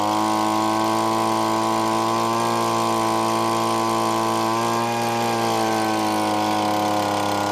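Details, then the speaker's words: Yard-sale gas leaf blower being converted into a prospecting vacuum, with the carburetor mixture screw turned clockwise in quarter turns. Its buzzy two-stroke note steps lower midway and keeps running slightly choppy throughout. "well I think that was it guys it still sounds a little running it sounds like it's running a little bit choppy there"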